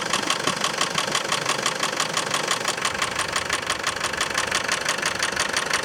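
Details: Land Rover Defender 300 TDI diesel idling after a timing belt change: a sharp, even tick about three times a second over the idle, apparently from the belt drive; owner suspects a loose timing belt or misaligned pulley, unconfirmed.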